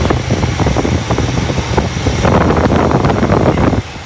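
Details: 1964 Imperial Crown V8 idling loud and lumpy with speed surging and sagging unevenly; surge traced to a vacuum leak at the carburetor base gasket.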